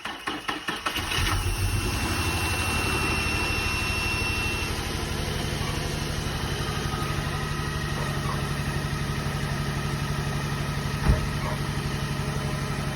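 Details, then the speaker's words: Nissan 350Z/Infiniti G35 after valve cover gasket replacement: catches after short crank, steady even idle with smooth low drone, no ticking or knocking; exhaust has several holes; normal idle. "sounds better than before oh my god don't know is that how they're supposed to sound"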